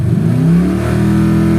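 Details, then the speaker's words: Raised 2-step rev limiter (4000 to 6500) race car with 349 engine, fully warmed up, base timing 10° BTDC: revs up then pitch eases down slowly and hangs above idle; owner suspects ECM relearn after battery disconnected for weeks, datalog pending. "yeah we'll see what that little idle hang is I'll do a data log for him I mean I'm not too worried about it it's a race car"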